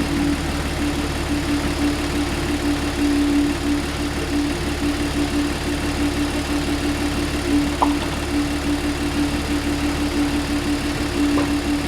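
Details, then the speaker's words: Audi C7 supercharged engine after suspected hydrolock from intercooler core failure, cleared by cranking with plugs out and reassembled: starts right up and settles into a smooth, even idle with a steady low hum, no knocks or misses. "all right guys she right up ran beautifully I mean she ran extremely smooth"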